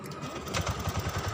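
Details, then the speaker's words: Honda Beat fuel-injected scooter with its throttle position sensor disconnected: small single idles but chugs unevenly with choppy, lumpy pulses and dies when throttle is opened; only holds stationary idle, stumble from unplugged TPS. "maha motor Beat ini kalau kita gas ini dia akan mati ya kalau digas punya akan mati jadi motor hanya bisa putaran stasioner aja ya"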